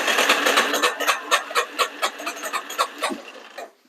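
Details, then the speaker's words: Neglected Yamaha Warrior 350 quad, first start: sharp irregular pops about twice a second over rough stumbling idle; backfiring, airbox popping off. "I think we're at half choke before. And the air box is popping off."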